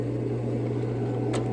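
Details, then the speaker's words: Raypak above-ground pool and spa gas heater after replacing the pressure switch and rollout switch: sparks, fires, then a steady even low burner roar with a smooth hum and no sputter or cycling. Normal burner operation. "Sparking. I just heard it fire up. Heating."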